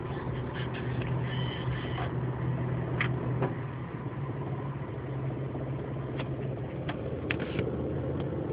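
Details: 2004 Pontiac Grand Prix petrol engine idling with a low, uneven buzzing rattle and a few sharp ticks, mostly in drive or reverse, gone in park or when revved; cause unknown.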